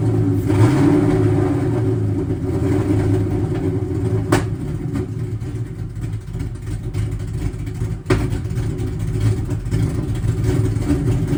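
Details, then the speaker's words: Crusty Cobra V8 run for first time in 2 years: lumpy, hunting idle with two sharp pops about four seconds apart, still backfiring a fair bit, cause unknown. "the car should run, but idle probably won't be too happy. I still hear the car backfiring a pretty fair bit."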